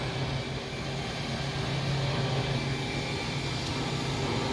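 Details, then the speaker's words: RV slide-out motor retracting the slide: smooth, even electric hum with a low steady buzz, no catching or grinding; normal slide-out motor operation. "so we'll run it in you can hear how smooth it is it's running"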